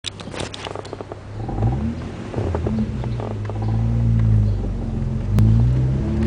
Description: Car makes a whining/squealing noise at low speeds. almost sounds like a RC car.